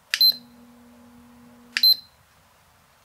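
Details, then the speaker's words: JET dust collector motor with one lead removed from its 20uF 250V motor-start capacitor to simulate a bad cap: after a beep, steady low hum about 1.5 s with no spin-up; motor fails to start. "I've removed the one lead from the motor cap to simulate what would happen if we had a bad motor capacitor in this unit if I turn it on now you can hear it's just humming"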